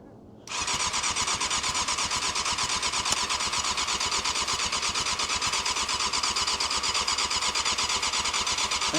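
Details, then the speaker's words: 1998 Yamaha YZF600R Thundercat, sat since 2013, cranked: steady fast starter whirr with even chuffing about two beats a second, never fires. The owner suspects the fuel shut-off valve position; carbs need rebuilding. Crank, no start. "I don't know if this shut off valve is shut, open, shut. So, I might put it in the middle. >> It's got to be in the middle. >> Okay. >> I think >> maybe that's why it's not starting."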